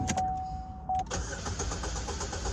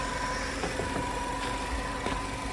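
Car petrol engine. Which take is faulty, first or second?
second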